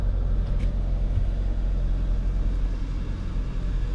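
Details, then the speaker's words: Kia idling just after a new Amazon fuel pump was installed; the old pump had been very noisy. Smooth, low idle with no pump whine or buzz over the rumble; normal idle, checking for fuel leaks. "Aquí tenemos la bomba que no hace ruido, la otra estaba haciendo tremendo ruido."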